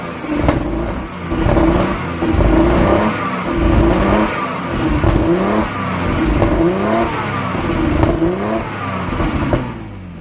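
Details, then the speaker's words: 1997 Jaguar XJ6 X300 3.2 manual just after its crankshaft position sensor was replaced: runs but rises and sags roughly once a second. Owner suspects excess fuel buildup from repeated start attempts. "so it sounds like the engine is now running although it sounds very lumpy indeed"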